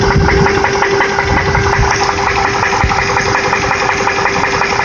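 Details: Land Rover Discovery idling warm after 30 minutes of running without overheating: quick, uneven ticking, roughly three per second, over a steady idle, described as a knocking sound; exhaust manifold leak.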